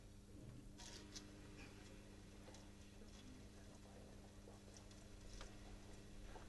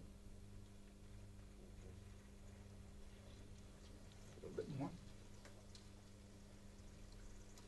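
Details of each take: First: Plastic pump drawing from a plastic tank through plastic pipe, starved of suction with air bubbles pulled through: quiet hum broken by irregular soft crackles and pops of cavitation. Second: Small pump in a cavitation demonstration, after adding water to raise suction energy: quiet, even low hum with no crackle or rattle; cavitation stopped, normal pump operation.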